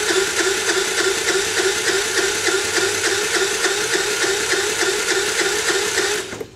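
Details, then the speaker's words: Wolf RX50 Chinese 50cc four-stroke scooter (139QMB-type engine), just under 2,000 miles, gauge in spark plug hole while cranking: even starter whir with light beats and no heavy compression strokes; reads about 30 psi against about 150 expected, very low compression. "all right so this thing makes about 30 lbs of compression that is way way way low"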